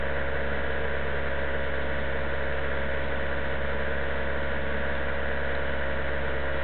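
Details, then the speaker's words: 2000 Toyota Solara SE I4, cold engine, parked with e-brake, held around 2000 rpm: heavy, even low drone vibration that appears at 1800 and goes away at 2200 rpm, also in neutral; cause unknown, all engine and transmission mounts already replaced. "goes away at [Music] 2200 seems to start appearing at 1800"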